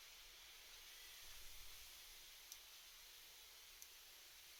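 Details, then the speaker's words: Shimano BL-M9020 hydraulic brake lever: Servo Wave piston guide roller jerks on lever release, making two sharp clicks over steady hiss; a known issue, fundamental cause not pinned down. "As you can see, the servo wave piston jerks and makes a clicking noise when the lever is released."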